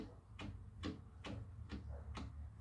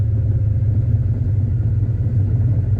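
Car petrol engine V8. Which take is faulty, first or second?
first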